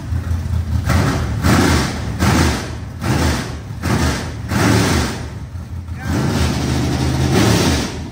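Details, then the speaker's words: Rebuilt 25-year-old SBC 400 small-block V8 race engine in a Chevelle, after fixing the timing: loud, deep rumble swelling and easing about once a second, firing evenly with no knocks or misses; healthy. "that's it dude that is so loud I forgot how loud this thing was that was so good"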